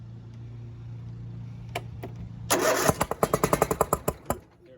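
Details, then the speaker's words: John Deere D125 twin-cylinder mower that won't start, jump-started: steady cranking hum then sharp uneven pops out the carburetor as it runs on one cylinder; other cylinder bad, right one oily, leak-down test planned. "you see it pop it'll start because it's running on one cylinder but it's popping out the carburetor which means one cylinder is bad"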